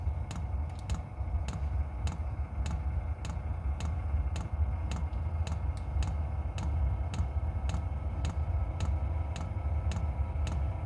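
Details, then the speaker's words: Voyoch diesel heater in a camper trailer, just switched on from the control panel: the fuel pump ticks evenly about twice a second, feeding fuel to the burn chamber, over a steady low burner rumble after ignition; normal running. "You can hear the fuel pump starting to run, pumping some fuel into the cylinder or into the burn chamber. And there's ignition."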